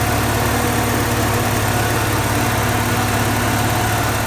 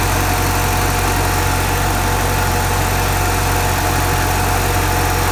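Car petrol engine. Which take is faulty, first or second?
second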